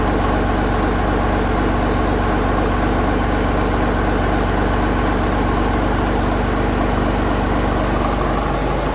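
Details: 1965 Gardner 6LXB 180 six-cylinder marine diesel, out of its boat on a temporary cooling system, first test run after restoration following failure at 80 hours: deep, steady thump at about four beats a second, no misses or knocks; healthy idle.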